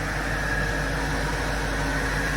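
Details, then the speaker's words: BMW 545i/645 SMG after repairing a wiring break to the shift sensor, once a non-runner; steady even idle with a faint constant whistle, no knocks or misses, very smooth engine. "veryy lovely smooth engine there is it wow"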